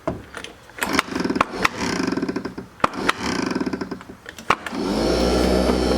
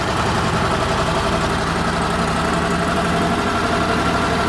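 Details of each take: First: Argo small engine, revived 2019 and started on choke with dirty fuel: irregular cranking clatter, then a rough, uneven drone; no obvious rod knock, noise seems to come from the clutch side, cause unclear. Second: Argo small engine with carb problems, running on old fuel nearly out, restarted a few hours later: steady even low idle with constant beat, no misses or knocks, runs quite well: normal idle.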